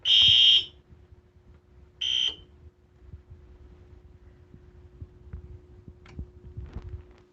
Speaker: so here's what happens when i push the drill button the alarm will go up you hear the relay's clicking